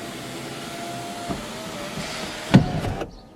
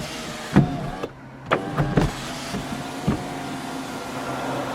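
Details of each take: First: Car sunroof opening and closing: steady electric motor hum broken by a light knock then a loud hollow clunk; likely needs lubrication with synthetic silicone grease: sunroof clunk during operation. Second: Toyota Camry sunroof after lubricating its track with silicone synthetic grease to cure a clunk on opening and closing; heard inside the car: steady, even motor whirr with only soft stop clicks; normal sunroof operation.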